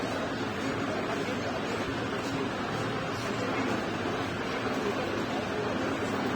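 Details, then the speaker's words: Infinix Hot 9 Play phone playing music: low, distorted, cracking sound with heavy noise drowning it out. "इस तरह से फटी फटी आवाज़ आती है और आवाज़ से कम ज़्यादा इसमें शोर आता है ठीक है।"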